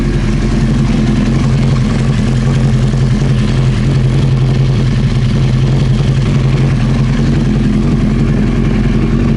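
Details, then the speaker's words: Old Honda CBR900 Fireblade idling with the fuel tap off, waiting for reported backfiring: steady low burble at an even pace, no misses, surging or stumbles; idling smoothly. "It's still running and it's not doing anything."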